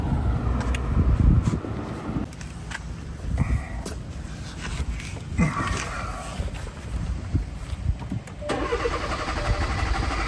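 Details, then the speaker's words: 2017 Hyundai Tucson 1.6L turbo, first start attempt right after replacing the fuel sending unit and reconnecting depressurized fuel lines: engine cranks in uneven bursts with a low rumble, never settling into a run; hard start, cause not yet found. "Well, this is not promising. Tried to start it up right away."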